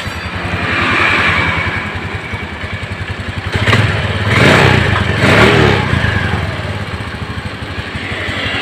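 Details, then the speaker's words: Suzuki Spin scooter after carburetor repair: small ticks at a steady idle, one brief swell, then settling evenly with no hunting. Idle normal. "Kelihatan di sini untuk langsamnya sudah normal ya."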